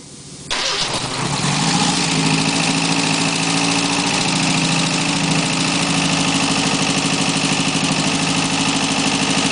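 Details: 1989 Ford Escort GT 1.9 HO (apparently 1986 block), first run after in-car overhaul: catches and settles into steady idle with a faint quick top-end tick from one lazy lifter that eventually pumped up.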